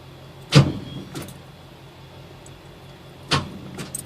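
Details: 1995 Camaro Z28 with headers and custom exhaust, battery charged the night before, after an idle air control fix: only pairs of dull clunks with no starter spin while the lights and gauges come on. The engine will not crank.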